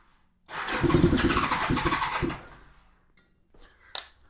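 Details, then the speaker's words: 1987 Honda GL1200 Goldwing, cold, choke lever not working, cranking to fill the carb bowls after years unused: about two seconds of brisk, even cranking that never catches. "Well, it smoked a little bit when it first started. I think it was starting to clear out, but I'm not getting enough fuel supply, I don't think."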